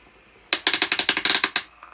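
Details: Homedics massage seat cushion, working rotating massage-ball unit (its twin skips from bad gears): crisp, evenly spaced clicking, about nine per second, with no skips or hesitations; this roller runs properly.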